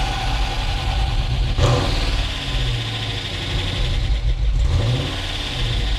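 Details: Dodge Challenger SRT8 engine, first start after a new fuel pump relay was fitted, some wire still inside, belt worn and due for replacement: catches, revs up and settles into an even idle with no stumbling or knocking.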